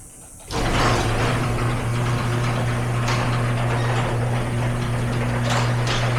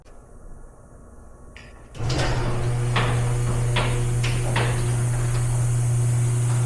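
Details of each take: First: Garage door with an opener, recorded before roller replacement; a steady motor hum, then rough rattling and occasional clunks as the door travels, from worn rollers with a lot of wobble and play. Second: Garage door after replacing worn rollers with new ones: steady low motor hum running evenly with only a few light clicks as the door travels, no rattle or grinding; healthy.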